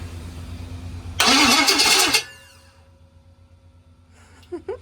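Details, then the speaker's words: GM 6.0 L LS engine on a stand with standalone harness, first crank, fuel not hooked up: about a second of even, steady cranking with no clicks or knocks; turns over cleanly, normal cranking. "It did. That's loud. I think it sounds pretty good, right? Yep. I mean, I'm not hearing clicking or anything."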